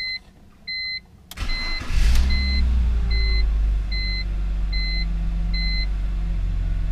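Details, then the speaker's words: BMW E46 325xi touring wagon, started after crankcase ventilation repairs that cured a rough idle and stalling, with the intake camshaft sensor wire reconnected and codes cleared: chime beeps, clean catch, smooth even running. Owner says it feels strong. Normal running. "it sure does seem so this engine feels really really strong"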